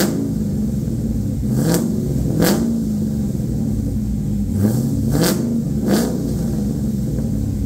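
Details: LQ4 V8 swapped into a 1985 Pontiac Trans Am with a red hot cam, headers and 4in exhaust, on its tenth first-start: sharp blips climb and fall back cleanly to a loud, choppy cammed idle; healthy revving.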